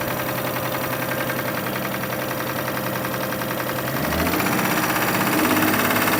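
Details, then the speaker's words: Clip from a 2005 Kia Sorento at steady idle: a regular, fast knock rides on the engine note, growing slightly louder as revs rise; source not yet diagnosed. "So yeah, we have this Kia Sorento '05 has that engine noise in there. I'm gonna try and diagnose this and see where the noise is coming from."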